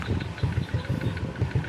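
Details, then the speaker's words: Honda XRM 125 (RS) single-cylinder after valve clearance adjusted to 0.05 mm and covers refitted: even regular idle putter with firm low pulses, valve tick gone; normal idle. "Panalo. Nawala na yung lagutok. Alagitik."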